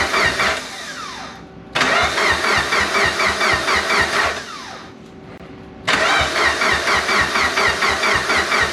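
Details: Engine starts and runs for the first time in almost 10 years, after two years of work; rapid rhythmic chugging catches twice, briefly dies away, then fires again and keeps running.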